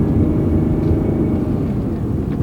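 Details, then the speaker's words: 2005 Honda Odyssey minivan, 231,000 miles, road test under acceleration: even engine and road roar, no clunks, flares or slips; the automatic transmission shifts smoothly. "You can see it still shifts quite smoothly. The transmission really doesn't have any problems."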